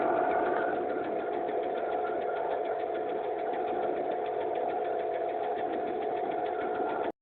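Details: Mercedes E280 M112 engine: starts quietly when cold, but once warm a steady fast ticking knock, about four a second, appears over an even idle; seems to stop at higher revs, and there's no oil use. Shops split between hydraulic lifters and pistons; unconfirmed.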